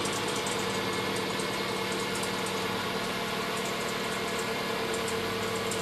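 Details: 2005 Mazda3 1.6 at cold idle just after starting: steady high whine with light uneven ticking, disappearing once engine warms up; abnormal cold-start noise, source not yet identified.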